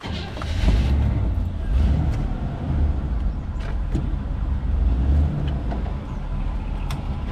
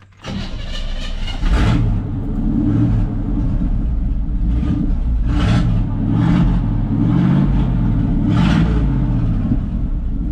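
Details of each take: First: 1979 GMC Vandura on jack stand, new muffler fitted replacing blown muffler and broken-off tail pipe, at idle: deep, even low rumble with no rattles, a healthy exhaust note. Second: 1979 GMC Vandura, about 70 hp, muffler removed, straight pipe: cranks, catches and settles into a deep, lumpy rumble with raw exhaust pulses, quieter than expected; straight-pipe exhaust, no muffler.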